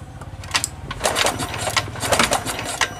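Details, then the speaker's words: Honda Scoopy fuel-injected scooter that died suddenly: quick rhythmic cranking that never fires; no spark at the coil output, traced to a broken ignition coil winding. "Terus ternyata motor ini tidak mengeluarkan atau tidak mengeluarkan percikkan pengapian dari ujung koil ya"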